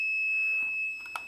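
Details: Lightweight quadcopter low-battery buzzer tested on 5 V via booster and MOSFET: one steady shrill high whistle, no breaks or warble; buzzer powered and sounding as intended.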